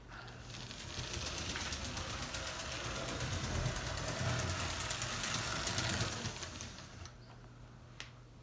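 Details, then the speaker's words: Lego 7730 12V steam train on track powered through the 7860 remote controlled signal set to green: steady fast clicking of wheels over track joints with a light motor buzz, fading as the train moves off; normal running. "the signal is green so i can supply power to the track and the motor will be active all the way around"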